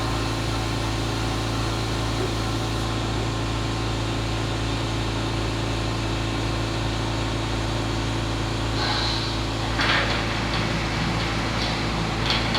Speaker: At the end of the caustic cycle, you can hear when all the liquid's been returned back to the caustic tank, and now it's just blowing air from the excess pressure.